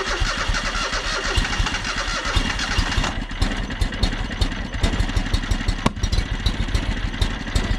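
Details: John Deere X485 fuel-injected mower after reassembly, fuel filter not yet replaced: engine catches and settles into steady, slightly uneven low thump with small surges; fuel delivery may be marginal; engine running after restart.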